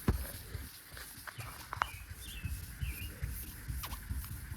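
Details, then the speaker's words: Wet sanding a painted fiberglass hood on a 1974 Mercury Comet with 2500-grit: low wet scrubbing then short chirping squeaks from grit trapped under the sandpaper scratching paint; fix is flushing off with pressure washer. "if you hear that scratching squeaking sound hopefully the camera picked it up that's a piece of dirt so anytime you hear that really need to grab the pressure washer flush everything off again"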